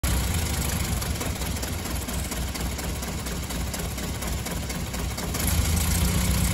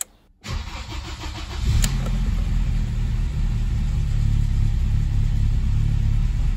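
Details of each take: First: BMW M3 E30, S14 engine: uneven, lumpy idle with irregular stumbles, rough running and hard starting; ignition fault causing misfire, problem surfaced after cleaning the engine bay. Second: BMW M3 E30 S14 engine after ignition system overhaul including coil and new spark plugs: quick crank catches cleanly, revs briefly, then settles into a smooth, even idle with no misfire.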